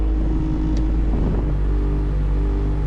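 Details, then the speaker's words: 1988-1991 Honda CRX Si with A/C, engine running, before repair: steady low hum and drone with faint tonal whir from the blower motor under the dash; A/C blows cold but the blower motor is noisy. "That's where the noise is. The AC blows nice and cold, but that noise is the issue."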